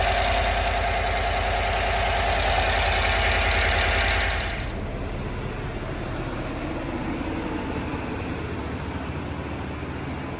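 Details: GM 6.2L/5.3L V8 (L86/L83) first start after cam, lifter, head gasket and DOD delete with tune: steady, even idle with a smooth beat and no lifter ticking, settling quieter after the first few seconds; normal idle.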